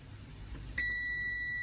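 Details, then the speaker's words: Router board checked with multimeter on buzzer/continuity setting across large parallel capacitors on the power rail: probes touch and a steady unbroken beep sounds, showing a short; the capacitors aren't necessarily bad. Short circuit on power rail. "Look, this is also a large capacitor, which is short-circuited."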